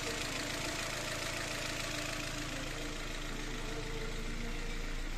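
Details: Hyundai Elantra 1.6 petrol after an engine rebuild for a cold-morning noise from worn pistons that faded when warm: smooth, steady idle with an even low beat and no knocking or rattling.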